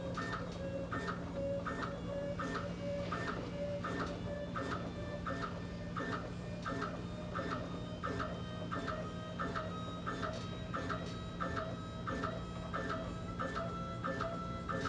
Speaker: so now uh you've heard that pump speed up as i turn the dial um the thing to look at in this acrylic head is that the diaphragm no matter what speed the pump is operating at that stepper motor it's always going to have the full stroke length